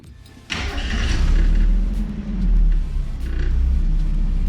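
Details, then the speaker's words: Mazda Miata just after a new full exhaust install: catches after a short crank and settles into a deep, smooth, steady exhaust rumble with even pulses, slight minor tapping noted; healthy exhaust note. "you can hear it a little bit it sounds so much better though oh my oh my ears are happy i'm happy"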